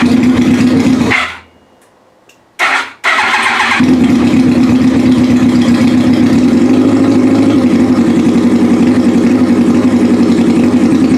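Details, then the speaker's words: Yamaha R1 first startup after reassembly with fuel pump, tank, fresh fuel and wiring harness refitted: cranks, catches, cuts out briefly, then fires and settles into a steady, even buzzing idle; running healthily. "well got it running that sounded pretty cool"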